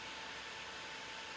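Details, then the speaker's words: PC fan spun at full power on a breadboard tachometer test, measured 5400–5440 RPM, close to its rated speed: strong even air rush with faint steady whine, no ticking or wobble; fan runs normally. "you see this speed is 5400 RPM 5440 is not far from the one I found on the internet so it should be the good one"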